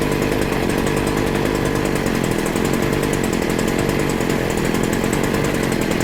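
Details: Stihl FS40C trimmer that didn't run, after its carburettor mixture screw was reset to one turn out: a steady, high-revving two-stroke buzz that holds even. It now runs, though it is unclear whether it is cured.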